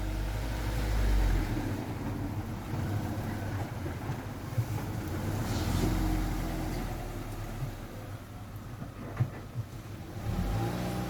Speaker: that sounds a lot nicer now